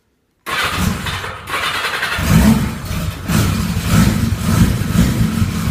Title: Yamaha xj700n '85 hard start cold engine